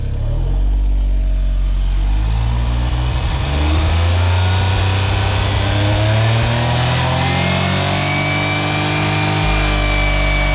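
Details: Suzuki Cara (Autozam AZ-1) with DOHC F6A engine revs hard but the note breaks up and stumbles near the top before recovering; high-rpm stutter after injector cleaner, owner suspects fuel system (injectors, regulator), valve float also considered, unconfirmed.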